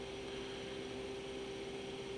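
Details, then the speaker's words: Fan motor run on the Goal Zero Sherpa 100AC power bank inverter, whose square-wave output measures about 112 V RMS at 63-65 Hz: a steady buzzy hum near 400 Hz over the airflow, the motor straining on the square waveform. "i don't know if you can hear that hum but that is the motor being destroyed by this trash square waveform right"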